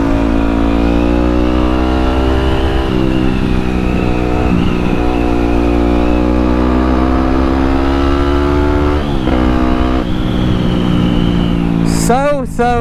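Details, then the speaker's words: Yamaha WR250X supermoto on test ride after fixing a kinked fuel line that caused cutting out under full throttle: the single pulls steadily through the gears, pitch climbing smoothly with no cutting out or hesitation. "much better this is how it was supposed to run and I don't know if it's actually ever ran that's good"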